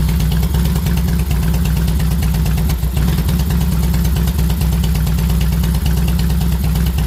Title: Rough idle on 2006 deluxe FLSTNI